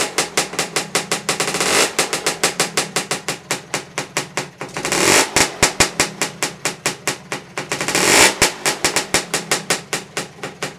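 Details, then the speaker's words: Lambretta scooter two-stroke just rebuilt after engine failure (barrel, piston, head, exhaust refitted), started third kick: crisp regular popping four to five beats a second with brief throttle blips; healthy normal idle. "here that sound again is just marvelous got the key to turn it off"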